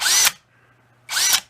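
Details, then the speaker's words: Masterforce 20V 2-speed 1/2 in. cordless drill/driver, new, high speed: two brief high-pitched whirs, each cut off almost instantly on trigger release; automatic electric brake, active only in this speed, stops the chuck normally. "this has an automatic break can you hear it slam when it shuts off listen look at that it didn't stop that's weird i've never heard that in a cordless drill but it's only in this speed"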